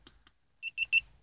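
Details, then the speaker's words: Opel Astra H with prototype shift-assistant device, tested with throttle pressed: one beep means rpm too low, two beeps rpm too high; slight delay, extra beeps. Two faint ticks then three quick high-pitched beeps; shift indicator powered and alerting. "один писк это слишком низкие обороты два писка слишком высокие обороты при на сжатом газе"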